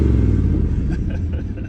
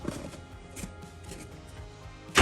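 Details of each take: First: 1965 Acadian Beaumont V8: deep, even rumble with steady beat, no misses or knocks; runs well though it stumbles when throttle is dropped off abruptly. Healthy running engine. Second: 1965 Acadian Beaumont V8 being revived. The starter cranks at about four turns a second for five seconds but never catches. Crank no-start with no spark: there is power to the coil but nothing past it, and a bad cap or HEI control module is suspected.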